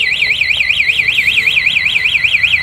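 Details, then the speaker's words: RSX 110 scooter, original quiet engine: loud high warbling siren rising and falling about four times a second without a break; the anti-theft alarm triggers and sounds properly. "Có chống trộm luôn nha, chủ này rất là kỹ nha chị ha."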